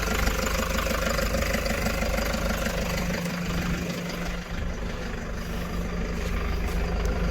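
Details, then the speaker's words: Toyota Hiace D4D common-rail turbo diesel at idle before an engine bay degrease: steady, even diesel clatter with a regular low beat, no knocks or misses; a happy little turbo diesel, normal idle. "i hate the way new vehicles beep there's a happy little turbo diesel"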